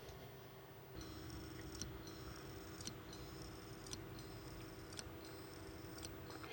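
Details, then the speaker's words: 5 TB hard drive plugged into a docking station for data recovery: sharp clicks about once a second with faint high chirps between them as the read arm clicks back and forth, the click of death. "What that is, that is a uh read arm inside the drive clicking back and forth."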